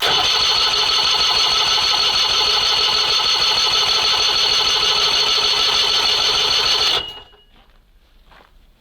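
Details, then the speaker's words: SMZ invalid carriage first start after long storage, fuel pump priming by cranking: even starter whirring about three turns a second for seven seconds, engine never catches; later only catches on quick-start spray, cause to be found in fuel lines/taps. "пока не запускается Да но он наверняка уже там пошёл"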